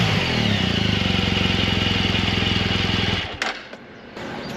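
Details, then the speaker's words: BMW R1200 GSA boxer in good condition, idling after startup: brief tick as decompressor changes at start, then even steady idle with a regular light patter from the heads; normal valve train noise. "so lee's got i think what we would consider normal head noise on his so he's going to get grab his keys and start his up and you guys can compare the noises here"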